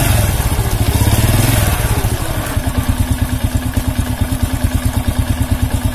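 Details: Honda C100 (Grand) motorcycle with rough engine noise and sluggish pull: rev dropping back to a lumpy idle pulsing about three times per second with coarse gritty clatter. Cause not confirmed; cam chain and clutch side later opened.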